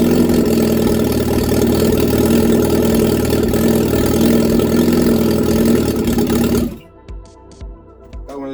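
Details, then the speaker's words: Reliant Regal Supervan 3 engine on the workbench, running after a full rebuild, with choke applied. Smooth, regular idle at about four beats a second, with no knocks or misses; normal idle. "my first engine rebuild ever complete the engine rebuild and it actually runs how about that stranger things have happened eh but that is Mega"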